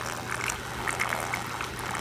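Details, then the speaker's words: DIY refugium sump for a saltwater nano Biocube, freshly filled: irregular bubbling and splashing gurgle over a low steady pump hum from the return pipes; owner asks how to reduce the noise, cause unclear. "Alright, so essentially the way this Refugium is working is I've got return pipes that come out of here. You guys hear that"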